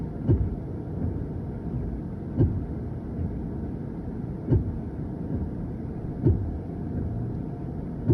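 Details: 2023 Hyundai Ioniq 5, AC blowing warm air with dashboard alerts. Faint, dull repetitive thump, about 10-15 times, from the front about every two seconds on an otherwise quiet car. Faulty three-way coolant valve knocking; fixed by replacing the valve.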